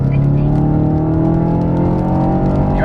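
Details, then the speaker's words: VW Golf GTI with a stage 1 tune, warmed up before acceleration runs: deep, smooth engine note on the rev, steady and even with no knocks or rattles; normal, healthy engine. "that sound that sounds so good"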